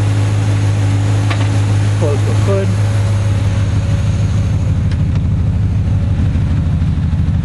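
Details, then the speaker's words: 1978 Datsun 280Z with Jag-a-tron V8 conversion: 350 HO crate engine, Edelbrock Performer intake, aluminum water pump, T56 gearbox. Steady, deep even idle with a faint rush from the electric cooling fan, which cycles as needed; healthy. "you can can kind of hear the fan running the fan kicks on and off as needed"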